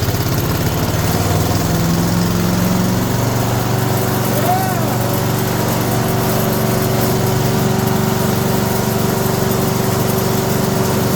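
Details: Older 5 hp Briggs & Stratton on an abandoned chipper, with the pull cord fixed and the valves freed with Deep Creep. First start on choke with the air cleaner off: it settles into a fast, even buzzing idle with no misses while warming. Normal idle.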